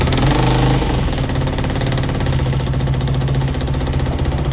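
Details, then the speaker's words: Yamaha Aerox scooter with 62 mm top end built elsewhere, after bottom-end repair for engine noise, battery 12.22 V: raspy, chuffing idle with sharp puffing pops each firing pulse under light throttle, needing throttle to keep running; exhaust leak. "พอท่อมันรั่วนะต้องเร่งช่วยนิดนึงนะครับเพราะว่าอันนี้ฝ่าไม่ใช่ของที่"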